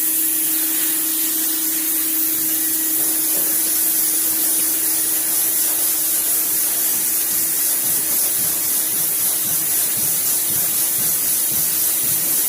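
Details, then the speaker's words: Norton sanding station dust extractor in manual mode running a sanding block while sanding body filler: steady airy rush and hum with repeated thumps from the thumper wand cleaning the filter. Normal. "that noise you hear the thumping sound is a thumper or a wand that hits the filter and cleans the filter of this fine"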